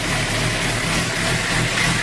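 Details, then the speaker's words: 2008 Suzuki GSX-R 750 K8, after fixing an idle problem: even, settled idle around 1000 rpm without hunting or surging, returning right back after throttle; normal idle. "i'll crack this throttle comes right back no f i like nothing i'm telling you guys that's the fix for me anyways that's the fix"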